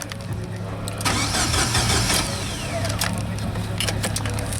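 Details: Jeep YJ Wrangler that died while driving: starter spins the engine at an even cranking rhythm but it never fires. A new crank sensor didn't fix it; the no-spark no-start is traced to a failed ignition coil.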